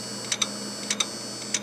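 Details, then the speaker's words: Old Core 2 Duo PC from about 2012 at power-on, reaching the boot screen then failing: sharp paired clicks about every 0.6 seconds over a faint hum; failing hard drive clicking. "that's the sound of a failing harddrive it does come up to the boot up screen and then of course it's gonna give us that failure here that our hard drive it's no good"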